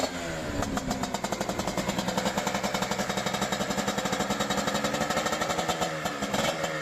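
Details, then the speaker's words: CanAm Rotax 125 two-stroke on its first test run with a replacement engine, overhauled carburetor, new right-side exhaust header and separate oil lubrication: crisp rapid crackle, even pulses holding steady with slight rev swings; runs cleanly, minor tuning still needed. "So wie ihr gesehen habt, gibt schon wieder Lebenszeichen von sich."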